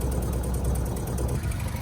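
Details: A low, uneven, stumbling idle from a Mk1 VW Caddy/Rabbit truck running after sitting about 7-8 years. Old fuel is suspected, not confirmed; some was drained and replaced with fresh fuel.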